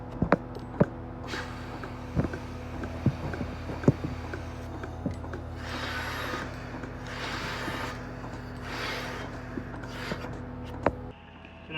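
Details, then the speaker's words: Milking machine on a Brown Swiss cow: sharp ticks about once a second over steady vacuum pump hum; the pulsator squeezing and releasing to draw milk, with vacuum holding units on, working normally. "there's the ticking sound that you can hear maybe you should be able to hear that but so that's the pulsator and how the pulsator works is it squeezes it and it allows the moment to come out"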